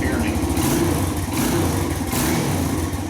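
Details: 2017 Kawasaki KLX140 dirt bike after reinstalling leaking left and right engine covers without gasket sealer: small single ticks over at a smooth, even idle with no knocks or misses; running fine, being checked for leaks.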